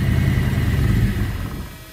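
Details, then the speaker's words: 1972 Ford Maverick neglected for a decade, with a Motorcraft 2-barrel carb from a 1979 F-150 351, choke not connected, gas poured into the bowl. First start runs lumpy, then dies. Rough running; owner suspects a plugged fuel filter. "you could probably hear and I think our problem it's gonna be that filter I believe it's plugged up and she's just not sucking that fluid"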